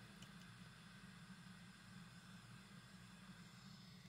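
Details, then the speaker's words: 1960s (about 1968) Magnavox suitcase record player transistor amplifier, recapped: one channel speaker outputs steady white-noise hiss with low hum, unchanged by volume, tone or balance. "so here's what the noise sounds like it's pretty much white noise it does not change regardless of whether you adjust the tone or the balance or anything"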